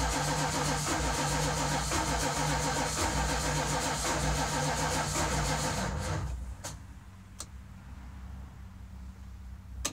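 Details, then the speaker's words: 1973 Dodge W200 after almost a year sitting with a dead battery, tried with starting fluid: steady rapid starter churning about four turns a second with no firing, then drops away; cranks but won't start, owner suspects no spark or weak battery. "that sounds like it's just not getting spark which could very well be it's not kicking off anymore starting fluid"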